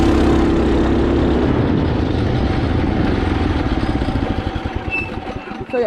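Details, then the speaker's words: Mini bike small single-cylinder after upgrade to a torque converter belt drive, going slowly uphill under throttle: rapid even putter that fades as it climbs, only belt noise and no clutch ding; smooth, healthy converter drive. "you can already hear that you don't hear a ding from the clutch you only hear the belt but it is a slightly louder because you have to you have to like give it more throttle"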